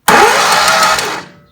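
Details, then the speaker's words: 2013 Walker T23 mower left sitting in a paddock for years, with spark and fuel but no compression: short, fast, even crank with no firing; rear cylinder (previous lifter problem) not compressing. "start and just done a bit of diagnostic work and uh it's got Spark It's got fuel and but no compression"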